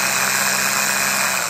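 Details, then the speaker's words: Starter from a 1980 RN30 Hilux 4x4 with a Holden 186 engine, bench-tested by bridging terminals: a thin, weak whir with sparks, and the Bendix does not throw out. "And when we do that, we get sparks and stuff, but we get like a really weak, it's kind of, it's a bit, there we go."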